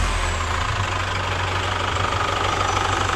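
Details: Chevrolet Captiva FL diesel after repair (injectors and rings replaced, turbo cleaned, turbo hose replaced), revved to 3500 rpm: steady, even idle with soft regular clatter, no knock or turbo roar; engine healthy.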